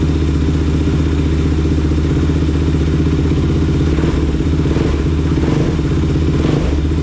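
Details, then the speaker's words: Rebuilt Kawasaki KFX 450R single-cylinder thumping at a quick, even beat with a few throttle blips, strong and clean with no knocks or rattles; slight antifreeze leak, no oil leaks. Healthy after rebuild. "That sounded fantastic. I'm very happy with that."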